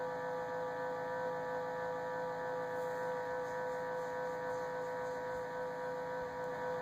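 A thin, steady high-pitched whine over a faint hum, constant throughout; the fridge is whining, cause not yet pinned down.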